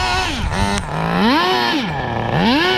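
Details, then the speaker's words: Transmission slipping on a 2002 Tamiya Terra Crusher 1/8 nitro monster truck: the engine runs strong but screams up and drops back in quick sweeps without steady pull; owner blames worn transmission, noting linkage trouble with reverse engaging, cause unconfirmed. "It's slipping through. And I know a lot of people that have these Terra Crushers have the same exact issue. I'm not the only one. I never thought the engine would be so good and the transmission over time would just do this."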